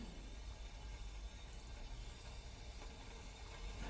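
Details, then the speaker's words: Restored Doll 387/3 model steam engine on its first steam run: steady soft hiss over a kettle-like boiler bubbling from small steam leaks at fittings, which the owner hopes will seal as it warms and swells. "But um yeah, a little bit of a little bit of a steam leak, little bit there, little bit there, a few bits and see how it goes. Cuz sometimes they they leak initially, then as it warms up, everything swells up and it's sort of uh it stops."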